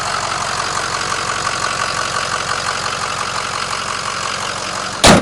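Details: 2005 Ford Excursion 6.0 diesel, 148,000 miles, partially bulletproofed with EGR delete, SCT tuner and blue spring/fuel regulator kit: even, steady diesel idle with smooth regular clatter and no misses or knocks. The engine sounds healthy.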